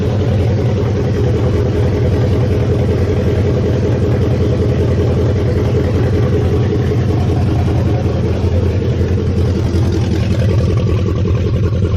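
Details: 1969 Mustang V8 first start after sitting, electric choke not yet hooked up. Loud, deep rumble at a steady lumpy idle with a brief rev, no misses or knocks; oil burning off the top, no smoke, good compression. Runs fine.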